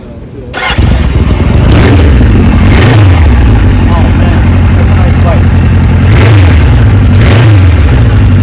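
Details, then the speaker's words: 1974 Kawasaki Z1 900 original-condition survivor, exhaust pipes with a couple of holes from sitting, fuel on reserve: catches within a second and settles into an even, steady four-cylinder burble with clean throttle blips; normal start and idle. "So smooth."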